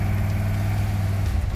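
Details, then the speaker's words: Ford F-100 after a carburetor fix and vacuum-gauge tuning, with fresh oil, driving around the block. Deep, steady rumble with no stumble or hesitation; throttle response is snappier, it runs smoother and the idle is nicer, a big improvement. "ready snappier runs smoother idle's nicer it's really a big improvement from where it was"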